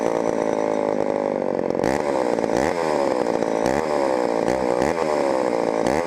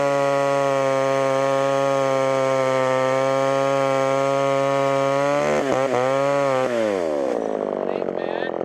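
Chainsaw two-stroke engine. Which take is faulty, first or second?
first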